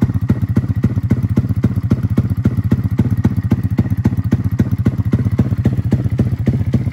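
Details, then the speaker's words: Freshly built custom 300cc big-bore Honda Grom engine with stroker crank and billet block, just started before dyno tuning: heavy loping thumps about four a second on a slow lumpy idle; rough running, needs tuning, stalls when cold. "so I got to work on the tune it's still kind of stalled when it's cold but I'm really just starting it and getting it running right now"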